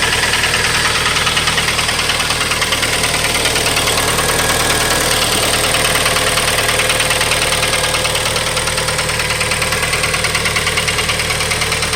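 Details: A 2012 Kia Forte petrol engine idles with a fast, steady tick over a bright, hissy running sound; no oil leaks, cause unknown.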